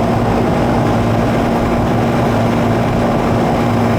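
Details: Second-floor AC condenser (piston metering) after some refrigerant was removed, with subcooling lowered, superheat raised, 72°F indoor wet bulb and 80°F outdoors: steady fan rush with a constant low compressor hum, even throughout. Running normally.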